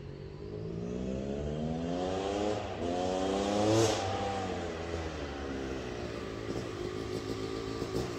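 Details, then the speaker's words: Yamaha YZ250 two-stroke (270cc/250cc) motocross bike after a full engine rebuild (bottom end, transmission, bearings, clutch, power valve), street break-in ride: pulls up through revs, drops cleanly on each shift, crisp even note; shifts silky smooth, running normally. "man it shifts like butter i mean it is so silky smooth oh my goodness even better than it was before"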